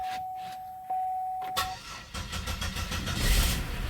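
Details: Pontiac Bonneville SSEI first start after a transmission swap, with a charged battery fitted: starter cranks briefly, then the engine catches cleanly and settles into an even idle; the transmission turns out a couple of quarts low.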